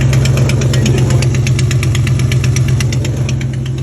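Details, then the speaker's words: 2002 Dodge Dakota 4.7 V8 with a customer noise complaint: sharp, regular ticking over a steady low idle hum, sounding pretty bad, possibly internal; suspected exhaust leak. "So what I'm thinking is an exhaust leak. You can hear it. It sounds pretty bad."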